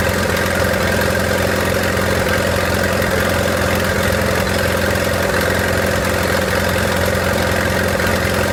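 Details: 1928 Farmall Regular tractor engine idling after carburetor tweaking, timing advanced about halfway: even, steady low chugging that holds a constant beat with no misses or knocks. Healthy normal idle.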